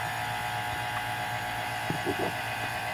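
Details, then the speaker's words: 2014 Silverado AC system after discharge hose replacement: the vacuum pump gives a steady low hum with constant pitch and no surging while pulling down to 30 inHg, to be held about 20 minutes; normal. "so we're going to let it run and it's going to get down to a 30 in of mercury of vacuum"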